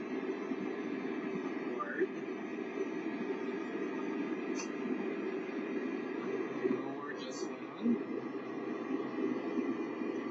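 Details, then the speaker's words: Sta-Rite pool/spa heater with too-cold inlet water (below about 66°F): steady burner roar with a rising whine as cold water vibrates the hot heat-exchanger tubes. The exchanger is sweating, and the noise is considered harmless. "all right that whining you're hearing is the um cold water rushing through this hot flame okay and it's vibrating the tubes all right that's all it is"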